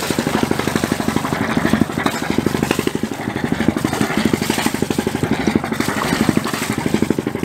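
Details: Volvo Penta marine diesel on a sailboat, in work on injector blow-by. Even, steady clatter with regular firing pulses and no misses or knocks. Normal running.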